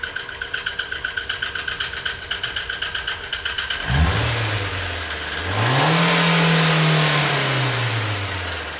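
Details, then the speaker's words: 2018 Fiat Uno with Fire Evo engine, previously opened: steady ticking about four per second while cranking, then the engine fires and revs. Abnormal internal noise, cause unknown; engine to be disassembled. "vocês conseguiram ouvir o barulho aí pessoal esse é o barulho desse motor Beleza"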